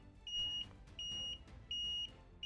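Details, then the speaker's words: Starter-relay and wiring repair on a long-stalled Alpha moped that cranks but won't start: a buzzer gives four even high-pitched beeps, each about a third of a second, repeating regularly; normal buzzer beeping. "Damn, it works. And even some kind of buzzer works."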